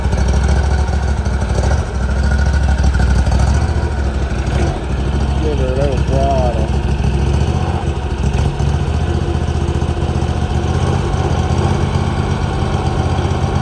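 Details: 2018 Hustler Raptor SD mower, Kawasaki FR691V V-twin, just after head gasket and valve seal replacement, shroud off, choke off: steady even idle with firm low beat, no misses or knocks; healthy.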